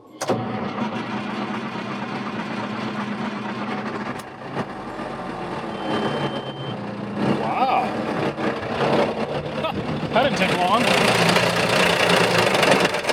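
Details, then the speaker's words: Big Bud tractor diesel just fired up after replacing the leaking injection pump with a junk spare pump. It runs rough and uneven with surging beats while air in the fuel system clears, then comes good. "हम देखते हैं कि यह अच्छा चल रहा है, अब इसमें सिस्टम में हवा है, इसलिए इसे साफ करने की कोशिश करने में थोड़ा सा समय लगेगा"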